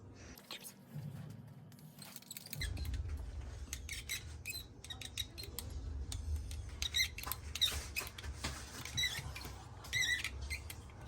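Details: Door lever latch squeaking high and wavering each time the lever turns, typical of a dry mechanism; rubbing cooking oil into it removed the noise.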